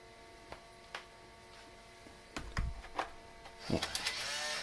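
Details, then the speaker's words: Apple Macintosh SE/30 floppy drive (1.44 MB disk) spinning with scattered sharp clicks, then a rough grinding burst as it struggles to read and eject the disk; drive likely needs removal and lubrication, cause suspected, not confirmed. "okay let's try this oh that sounds really bad oh it definitely did not like that one"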